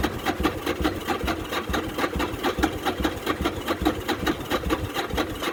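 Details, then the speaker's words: Newly bought titled motorcycle with straight-looking pipes: loose loping idle, pulses about two per second through open exhaust, uneven but steady; runs great, normal idle. "And we got the bike home, got a title, it runs great. Matter of fact, we can fire it up right now just to hear it run."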